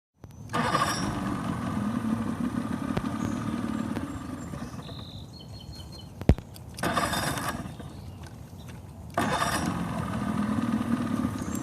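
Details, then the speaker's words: Boat engine catches and runs a few seconds, dies, restarts and fades again; it keeps running only with the choke pushed in. Engine stalls after starting; owner suspects it isn't pulling fuel from the tank well enough. "It's running whenever I push the choke in. Maybe it'll stay running now. It's like it's not pulling fuel from the tank well enough."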